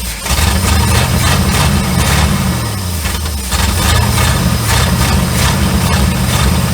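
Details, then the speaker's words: 1972 Chevrolet C30 small-block V8, first start after 15 years abandoned on a farm: deep idle with an uneven loping beat, rough from vacuum leaks at open lines including the vacuum advance. "This, typical small block Chevrolet. You can't hardly kill them. It's running a little rough because, well, we got a vacuum leak there."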